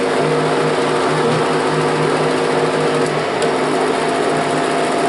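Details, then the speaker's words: Kodak Showtime 8 film projector running forward: even, fast mechanical whir with faint steady hum, no catches or scraping; normal running. "Aquí está corriendo hacia adelante."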